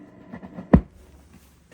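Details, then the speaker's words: Fender Deluxe Reverb reissue modded with a Frommel kit, everything else turned down: random sharp pops and crackles in the reverb circuit. Cause is a bad original reverb recovery tube; a new tube makes the noise go away. "That is coming from your recovery tube. These are your original tubes. This one is bad. Small popping sound."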